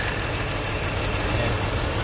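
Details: 2004 BMW X3 with cylinder 3 misfire, coils already replaced: lumpy, uneven stumbling idle as cylinder 3's injector gets no firing signal from the computer, suspected computer or wiring fault; single-cylinder misfire at idle.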